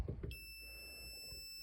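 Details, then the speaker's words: Kimi 3-wheel kids' electric scooter that won't run, brake switch already hardwired out: a couple of clicks, then a high beep held for over a second at power-on; continuous warning beep, owner suspects the control board. "So I got the multimeter hooked up here, and when I turn it on, it's just going to beep constantly, and it doesn't stop."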